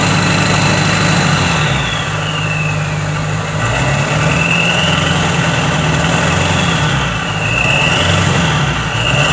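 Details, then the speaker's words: Skoolie bus diesel after exhaust modification, no muffler: steady deep rumble with faint rising and falling turbo whistle, not louder from the driver's seat; normal running. "well guys it definitely did not sound any louder up there"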